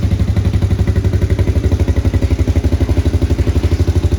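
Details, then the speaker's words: 1993 Honda TRX90 ATV after top-end rebuild and fresh oil change: even, steady single-cylinder putt-putt idle with no misses or tapping; running normally. "we changed the oil just a little while ago and uh it's running pretty good now"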